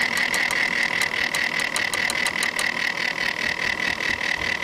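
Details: Corsair H80 liquid CPU cooler that failed 2 hours after install: steady high-pitched whine with a rough, gritty pulsing two to three times a second, an intermittent grinding noise from the failing pump.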